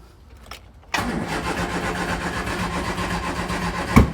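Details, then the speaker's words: Triumph Spitfire Mk3 under restoration: steady starter cranking, one cylinder fires briefly, then it keeps turning over without catching. Cranks but will not start; owner suspects it needs more fuel. "oh did you hear that guys might need a bit more fuel but um we had a uh a spark there something fired"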